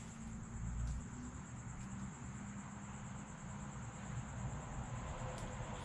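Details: Arrma Felony twin-motor RC car, new Game Changer RC Typhoon cooling fan, single fan on 3S: thin very high-pitched constant whine over low rumble, no wobble or rattle; fan spinning hard and evenly.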